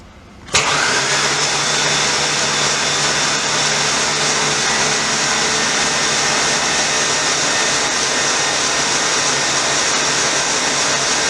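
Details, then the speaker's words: Mustang engine, spark plugs out, no belt, fully charged battery: smooth even starter spin about ten seconds with no compression pulses or firing, cranking to prime oil pressure; oil pressure achieved afterward. "we're gonna see if we can turn this thing over and try to get some some oil pressure so let's see what happens"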